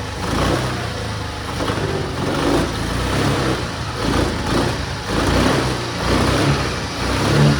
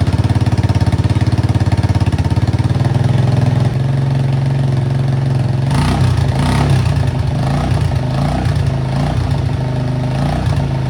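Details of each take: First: Suzuki Access scooter after repairing a rusted, holed silencer with high-heat coating: steady idle with an even, mellow exhaust note, no rasp or leak puffing; normal running after repair. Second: Suzuki Access scooter before repair, silencer rusted through with holes: loud, deep, raspy putter at idle that blurts harder on the throttle as exhaust leaks through the holes.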